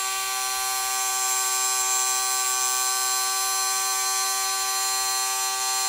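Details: Motorized Walthers bascule model bridge gearbox run with loose linkage rod, bridge moving smoothly; steady high-pitched buzzing whine unchanged over six seconds, no knocks or grinding: running normally.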